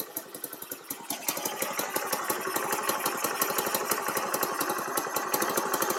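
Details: Baja Dune 150 buggy with Chinese engine, after cranking up idle, parking brake on; small single settles into a quick, even popping beat without dying; running properly.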